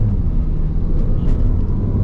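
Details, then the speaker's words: Mini Cooper that would not accelerate and misfired, after DME internal fault and DME reprogramming: road test, steady even engine drone under road rumble with no stumble or miss; much more power, misfire gone, running normally. "carro se siente súper súper diferente tiene mucho más levantó mucha más potencia ya no hace los me fire"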